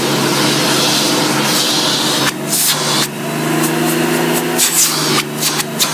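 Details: 1990 Electrolux 616 Electronic (Z616AE) vacuum cleaner, bought used and cleaned, edge-cleaning: steady high motor hum with rushing air and a few handling knocks, no rattle or grinding; motor runs really good.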